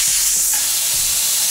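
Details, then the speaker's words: Soilmoisture Nullmatic regulator setup: loud, steady high-pitched rushing hiss of high-pressure air escaping because only one of the two isolation valves was turned off when isolating the Nullmatic. "you got wild air oil very large amount of air high pressure okay once again if you want to isolate out the nomadic you must turn off this and you must turn off this if you forget to turn off this you'll have lots of air coming out"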